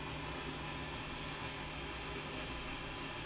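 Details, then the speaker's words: Marshall Origin 50 tube amp with its tubes warming up and a 500 V plate voltage, no guitar playing. A faint white-noise hiss with slight hum comes through the speaker. The power section seems to work, with tubes drawing 25 and 20 mA. The reported loud hum's cause is not yet found. "the tubes are coming up 1920 and i can hear a horrible hissing noise coming through the speaker"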